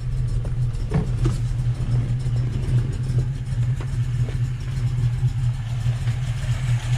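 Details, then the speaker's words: Volvo B18 engine with Weber 32/36 carburetor, idle mixture screw set near base setting during tuning: rough, stumbling idle with uneven low thumps and a faint hiss, barely running; lean misfire at idle. "barely running you can hear it there's like a hissing yeah so it's running very lean"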